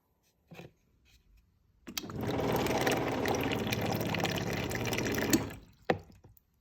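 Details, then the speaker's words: Samsung fridge: loud buzzing drone under the water flow every time the dispenser is used; defrosting and checking the back fan (not hitting ice) didn't help, clogged water filter was the cause, and replacing it stopped the noise immediately. "you still hear that noise then change the filter here that was the problem we changeed the filter and now the noise is gone"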